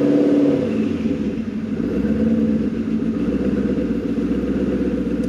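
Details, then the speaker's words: Maserati 3200 GT V8 biturbo on light throttle blips: uneven, lumpy running with an irregular stumble and hunting idle, shaking, seemingly not running on all eight cylinders; suspected misfire, cause not confirmed. "bạn chạm vào ga một chút, mặt khác, nó không chạy bằng tám xi-lanh."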